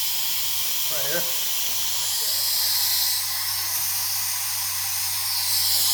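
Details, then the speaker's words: Clemco blast machine contractor 6.0 pot with electric controls, troubleshooting valve triggered via deadman: steady loud unbroken hiss of escaping air from weep holes; air leak from valve seals, this valve has multiple seal problems but not the upper seal. "maybe you can guess by the weep pole action which seal kit needs to be changed"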